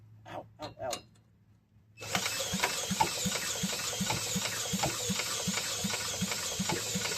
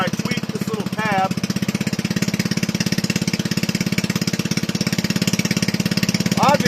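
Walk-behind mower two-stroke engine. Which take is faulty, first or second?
first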